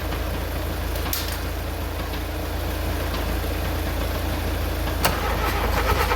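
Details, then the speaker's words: VW Mk2 Golf petrol engine, first start in 20 years, cold morning around -2 °C, fuel fed by hand: catches and settles into a steady low idle with an even beat and no knocking; running normally. "But it ran. It ran. First time in 20 years. That car runs."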